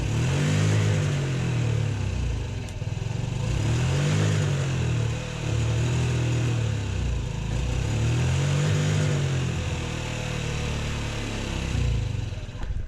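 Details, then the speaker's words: 2008 Honda Ruckus scooter, sat over five years, still cold: revs rise and fall in a slightly uneven, choppy way; rough running because cold, expected to smooth out when warm. "it's still a little choppy because it's cold once this thing warms up you can actually hold this thing like wide open"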